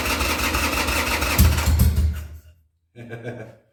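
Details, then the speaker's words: 2000 Harley-Davidson Sportster 1200 Custom after six years sitting: starter cranks the V-twin at three to four beats a second with choke, tries when choke pushed in, but never catches; the carb's accelerator pump wasn't yet primed. "okay so i i was the whole time i was cranking i had to choke out then as soon as i pushed it in it tried it"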